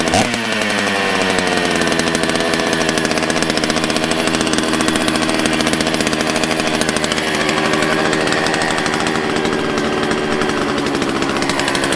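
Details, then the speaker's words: Old donated chainsaw from a batch including Stihl 066s, started on fresh gas after a priming squirt: loud, steady two-stroke howl at even high pitch with no stumbling; runs cleanly. "Well, there we go. Pretty awesome."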